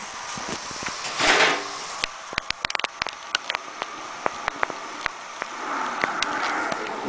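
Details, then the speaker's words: Xbox 360 disc drive after the grinding-noise and unplayable-disc repair: quick irregular ticks and clicks as the laser head seeks back and forth over a faint spin whir while it loads the disc, so the drive is reading normally. "the laser right there is actually loading the disc back and forth like it's supposed to let's see if it'll work"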